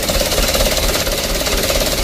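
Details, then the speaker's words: Mitsubishi Canter diesel, cold, just started after long cranking, before adjustment: loud uneven clatter with lumpy shaking beat, smoking; rough idle, mechanic suspects injection pump plunger, will adjust or replace pump/plunger. "Untuk mesinnya sudah hidup teman-teman, masih posisi yang sama seperti awalnya. Starternya serasa panjang teman-teman ya, dan juga guncangan mesin seperti ini."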